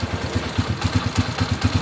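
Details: TMX155 single-cylinder after replacing worn timing gear, damaged cam follower and magneto kit: steady idle with even low thumps about four to five a second, no ticking or clatter; engine runs healthy.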